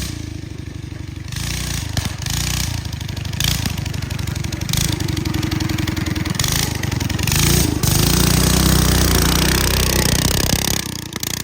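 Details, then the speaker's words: Honda FL250 Odyssey, centrifugal clutch stuck wide open, so the machine walks and won't fire in that state. Clutch later removed for cleanup. Small single revving hard and unevenly in chattering bursts: stuck centrifugal clutch. "Clutch stuck wide open. See that? Now I can't even fire it like that."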